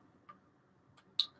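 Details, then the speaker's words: Geiger counter (the 700, not the ion chamber) switched on with its speaker enabled. Sparse, irregular sharp ticks, about three in under two seconds over near silence, show a normal background count. "So you flick that on, I'll flick the speaker on, so you can hear it ticking if it wants to start"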